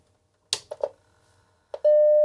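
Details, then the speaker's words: Macintosh Classic after repair of its no-audio fault, with leaky capacitors suspected: a few switch clicks, then a clean, steady mid-pitched startup ding. Sound is restored and the chime is normal. "Yeah, cool. We heard a ding. I need to hear it once more. A nice little ding. Sound is restored."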